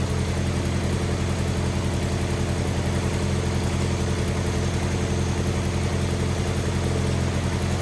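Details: Wheel Horse 520H riding tractor pulled from a tree row, running on its own on fresh gas from a can with battery and jump pack connected; even, steady low engine drone with no stumbles or surging, normal running.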